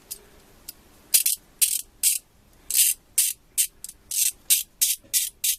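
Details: Kobalt Pro90 ratchet after disassembly; internals found dry, oiled with 3-in-1 oil, direction levers sanded smooth: crisp, light ticking in quick bursts of fine, even clicks with no grind or drag, properly lubricated and healthy ratchet.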